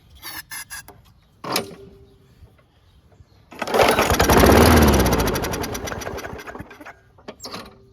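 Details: WeedEater 21" push mower (model 961340006 02), Briggs & Stratton 500 Series 158cc, free curb find: pull-start tries, catches on starting fluid, revs briefly and fades as spray runs out; fuel supply problem, carburettor to be removed and cleaned.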